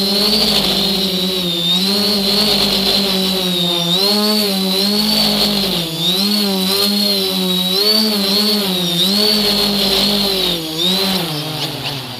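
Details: Engine revving up and down with a wavering tone and an uneven shake on top; engine vibration, cause suspected but not confirmed.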